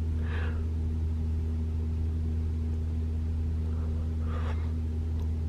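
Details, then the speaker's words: 2021 Toyota RAV4 Prime SE starting in EV mode at 57°F, auto AC off: loud steady low hum with even tones, no honking blare; heat pump running normally. "it's pretty loud but it's not making that sound"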